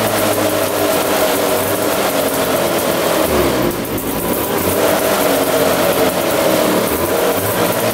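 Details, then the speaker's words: 1970 Arctic Cat Panther 340cc two-stroke snowmobile, once locked up and sitting 30 years: buzzy engine rises and falls cleanly through a couple of revs with no misfire or rattle; running well. "but yeah she ruins runs really good all right so that sounds really really good I'm really surprised at how um good the engine sounds considering it was locked up and sitting for 30 years"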